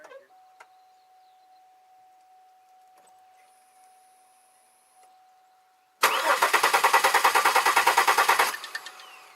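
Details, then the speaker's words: 2002 Chevy Malibu with intermittent no-start: quiet, then it catches at once and runs at an even, rapid beat after fuel pressure is built to nearly 60 psi. Spark and fuel confirmed, but the cause is still unknown. "Because now you saw it start right up. I have to put the fuel, hook up the fuel lines. And I have no doubt in about 2 or 3 hours it'll fire up again."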